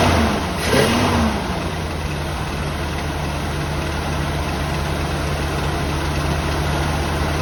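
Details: 1984 Jeep Wagoneer carbureted engine after fitting a new Edelbrock fuel pump; catches and settles into a steady, even low rumble with no stumbling or misfire, running fine.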